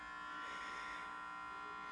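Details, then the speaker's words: 1980 Philips black-and-white TV arrived with no sound and no picture, only a harsh, steady electrical buzz with a thin high whine above it. "tá com esse ruid Dinho e não tem som e nem imagem né só esse ruído aí horroroso"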